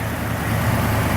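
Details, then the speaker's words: Restored 1989 Jeep Grand Wagoneer with new fuel injection and belts, heard at idle with the hood open: a low, soft, steady idle with hardly any tapping or belt noise. Hood insulation helps keep it quiet. Normal. "now you can really hear how quiet is imagine new fuel injection belts and a lot of other parts but what makes a difference is that being quiet is the hood insulation"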